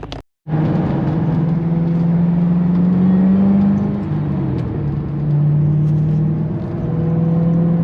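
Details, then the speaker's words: Shelby GT500 driving: steady cruising rumble with a clear mid-pitched supercharger whine rising and dipping gently with throttle; the exhaust seems a little quiet. Normal blower sound. "do love that blower sound you just hear it just pretty amazing"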